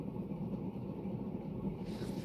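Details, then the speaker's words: Berni (Panama copy) ceiling fan on high speed: steady loud rumbling drone with hiss, constant level; dry, under-lubricated worn motor bearings. "I mean the good news is it it seems to be a pretty consistent level of bearing noise like it doesn't get noticeably louder yeah it's loud but"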